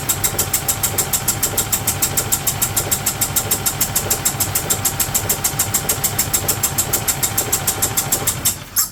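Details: 2008 Yamaha Drive G29 gas golf cart engine after priming: fast even pulses over crisp rattle then abrupt cutout, trying to catch; starting hampered by accelerator not pressed far enough; owner suspects serious issue, possibly head gasket, from noise.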